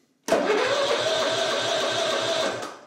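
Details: Simplicity Regent mower with 14hp Kohler Command engine, said to have electrical issues, cranked on a jumper pack: strong even starter cranking at about eight compression pulses a second for two seconds, no clicking or dragging; starter healthy.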